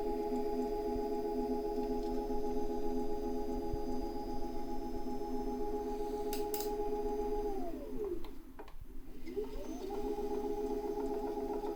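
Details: Tacx Alpine trainer: steady humming tones that dip in pitch, stop, then climb back as the unit changes direction, with knocking on direction change and occasional high-pitched resonance in Zwift; cause unknown.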